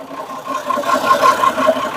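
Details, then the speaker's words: Perkins 6-cylinder diesel in homemade RV on 1966 GMC bus chassis, just restarted after about 10 years sitting, oil pressure up: even rhythmic idle, steady pulses, no misses or knocks; running smoothly. "looks like we got movement in the radiator Reservoir oh man it sounds good too that took a little while took a little"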